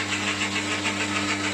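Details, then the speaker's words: New 1 hp lathe motor, replacing a noisy 1/4 hp motor with suspected failed bearings: steady, even electric whir without growl or bearing rumble; runs smoothly and sounds much clearer, normal running. "so that's a quarter horsepower motor on there and what I've got that's a one horsepower so it's a little bit more powerful"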